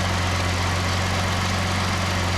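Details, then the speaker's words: 2008 Ford Edge 3.5L Duratec V6 just after water pump, timing chain and thermostat replacement, first start: smooth, steady low hum with even tone, no knocks or ticks; normal idle after repair. "Yeah. Sounds like good. It's always a good thing after you do a major repair like that actually run."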